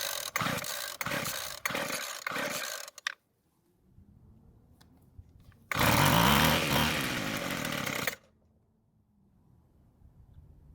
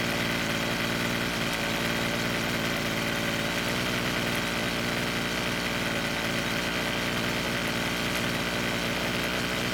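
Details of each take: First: Free Weed Eater trimmer with rebuilt carburetor; several cord pulls, catches for about two seconds at a buzzing rev at half choke (not full choke) then dies; owner suspects too little fuel, carburetor adjustment next. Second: Rebuilt Weed Eater two-stroke trimmer, after L screw turned a quarter turn counterclockwise to richen idle; holds a steady buzzing idle without sagging or dying; stable idle, mixture now right.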